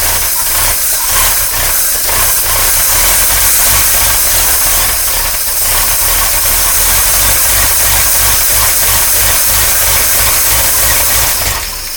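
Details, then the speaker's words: 1953 Oldsmobile Rocket Super 88 barn-find V8, after fixing random shutoff and hesitation on acceleration, running from a gravity-feed tank through an electric fuel pump. Loud, steady, rough lumpy beat with a hissy top end; runs acceptably: normal running. "so let's put some gas in it and then we'll fire it up and I'll show you guys it actually runs pretty good all things considered"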